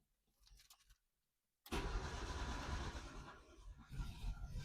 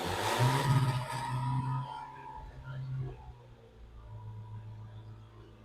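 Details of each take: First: Yugo, first start attempt on ethanol-free TruFuel with two-stroke oil: quiet start, then uneven starter churning with a few catches that never settle into running; fires but won't start. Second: Yugo engine not run since 1992, TruFuel poured into the carburettor: catches and roars for a couple of seconds, fades, then fires once more; no valve ticking heard, first life since 1992.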